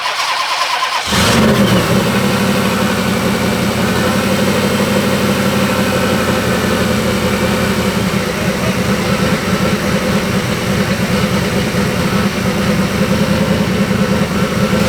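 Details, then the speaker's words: Supercharged 7.0L HEMI stroker V8 (Whipple) in a Jeep JK, new double radiator, cold start after coolant bleeding, thermostat still closed, electric water pump running full: quick catch, then deep, steady, even idle; normal cold start and idle. "Mesin sudah hidup. Walaupun memang termostat belum kebuka, jadi biarkan dia mengalir. EWP-nya bakal nyala full terus."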